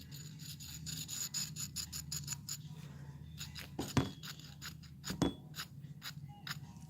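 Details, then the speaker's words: 1992 Chevy S10 2.8 V6 5-speed, idler pulley removed and spun by hand: its pitted bearing grinds with dry, gritty rasping in uneven bursts and stops when touched instead of spinning freely. Worn idler pulley bearing; it had caused an intermittent loud bearing noise. "if you can hear that you can tell that that bearing is gone when you spin it it doesn't want to spin if I get my finger in to stay see it stops should not do that good bearing should spin like this with no problem"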